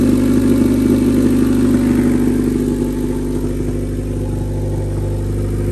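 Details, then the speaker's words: Honda Civic test run after transmission reinstall, oxygen sensor removed: loud coarse blatty engine note with rough pulse, exhaust escaping through the empty O2 sensor port. "I need to put that O2 sensor on it doesn't sound cool"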